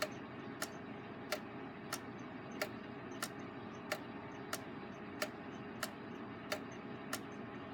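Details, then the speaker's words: Gilbert long-drop octagon clock after rebuild, springs not fully wound: clean ticks with slightly alternating gaps; uneven escapement drops, and an escape wheel possibly slightly out of round, make it phase a little in and out of beat; minor, still running with slight overswing. "drops aren't quite even either which adds to the sound that makes it sound like it's not a beat"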